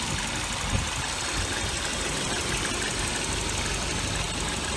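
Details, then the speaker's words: 1988 Volvo 740, 5-speed, after a valve cover gasket replacement. Steady, even idle heard over a strong background hiss, with no knock or miss. Runs nice and smooth, healthy engine. "These are the kind of cars that I love, and I couldn't be happier that I got this thing. It runs nice and smooth."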